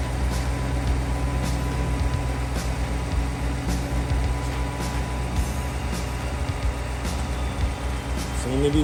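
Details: 2015 GMC Yukon V8 with AFM, after a lifter-tap repair, idles with a steady low rumble and no clear valve-train ticking, under loud background music.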